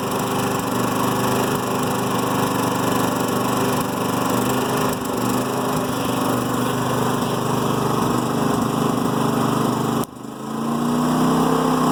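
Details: New Firman generator idling in Eco mode: uneven, lumpy beat with stumbles and a slight misfire or backfire; rough idle that lessens out of Eco mode or under load.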